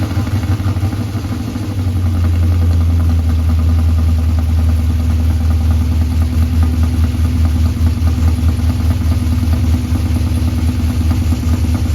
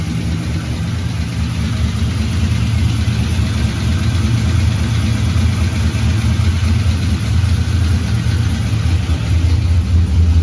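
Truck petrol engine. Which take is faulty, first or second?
first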